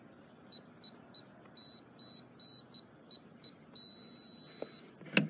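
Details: FE595 keypad padlock: a string of short, high key-press beeps as a programmed user code is entered, then one long tone as the valid code is accepted and the lock releases.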